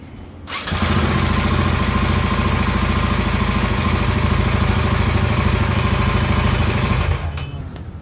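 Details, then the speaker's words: Royal Enfield Himalayan 450 single-cylinder at idle. Coarse heavy clatter over a thumping idle, tractor-like and louder than two other Himalayans compared; cause unknown. "यह वाली हिमालय ने इसकी आत सुनाता हूं उसकी तो भाई ट्रैक्टर जैसी आ रही है आवाज"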